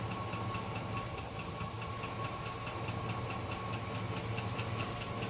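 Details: 2005 GMC Sierra idling with a sharp, regular knock tapping several times a second over the low rumble; cause unknown.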